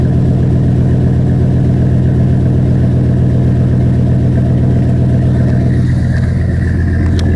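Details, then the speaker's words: 2005 Chevy Silverado 1500 5.3 V8 cold start, microphone at tailpipe with Flowmaster 50 muffler: deep, loud, steady rumble at high idle, smooth and even with no misses or knocks; normal. "Nope. That's high idle. I can wait for it to idle down a little bit. It will."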